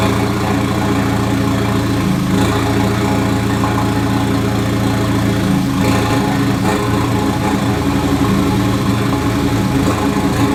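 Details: MK2 Golf with swapped 1.8T engine and 02J transmission: steady loud idle with a faint irregular knock while the clutch is engaged; goes away with the pedal down, owner suspects flywheel or clutch, unconfirmed.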